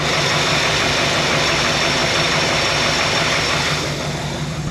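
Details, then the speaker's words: 1966 Ford F100 with a 1971 302 V8 idling with a rapid clackety clacking, about four a second, seemingly from the bottom end, which fades at higher RPM; owner suspects the badly worn harmonic balancer moving back and forth, not confirmed. "The 302 in it makes a pretty awful noise at idle. It sounds like it's bottom end, but if you guys look in there at that harmonic balancer, look at this thing."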